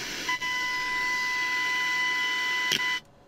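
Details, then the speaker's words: Hacker Sovereign RP18 transistor radio during FM section repair: 95 MHz signal-generator tone heard via signal tracer, clean steady whistle about two and a half seconds then cut off; signal passes through the stage cleanly. "I don't need to turn it quite as loud but but you can hear that on 95 megahertz out of the signal generator plus the 10.7 mixed with the 82 Point whatever 82 83 Point whatever gives you your 95 megahertz and there's the signal coming through the unit"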